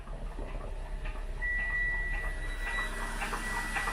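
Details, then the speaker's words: Car rebuilt from junkyard parts, wheel turning: a rhythmic scraping swish about four times a second as the parking brake shoes drag on the drum. The brake works but needs adjusting on the side that wasn't holding. "so ebrake does does work well they need adjusted I can hear it it's touching"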